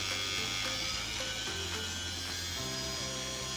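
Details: CC3D flight-controller DIY quadcopter with ESCs just calibrated, on a LiPo battery above 11 volts, Flysky FS-i6 throttle raised: whiny motor tones rise and fall with throttle, even with no rattles; normal motor spin-up.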